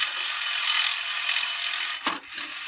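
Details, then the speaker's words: MMCD-3 disc changer found in a junk pile, moving parts already sprayed with WD-40: loud harsh mechanical grinding for about two seconds while swapping discs, then a clunk; gears or motor grinding. "it's extremely loud, and I would just like to get rid of that noise if possible."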